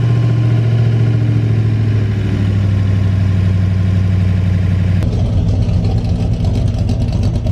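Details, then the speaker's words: 1982 Chevy G20 van V8 after upgrade with Extreme Energy 268 camshaft, new timing chain and gears, Flowtech 200cc heads, intake, carb and headers: deep steady rumble with healthy lope at idle after completed cam break-in, running normally. "The engine's got some snap to it. Got a really healthy lope at idle."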